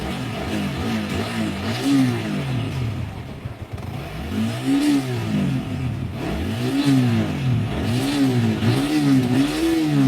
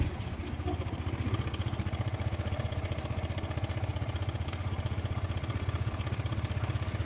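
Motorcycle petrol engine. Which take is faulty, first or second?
second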